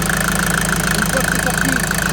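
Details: Mercedes Vito 110 TD diesel after the injection-pump delivery valve holder seals were replaced. Steady idle with even clatter and a smooth, regular beat; the injection pump side sounds healthy.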